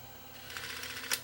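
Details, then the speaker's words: Tascam DA30mk2 DAT deck that would not accept tape, after a new belt and lubrication with the chassis out: a short, light, smooth whirr with one soft click on fast forward. Play, fast forward and rewind all work normally. "oh good this one looks like looks like this one works excellent and play yeah excellent okay good fast forward"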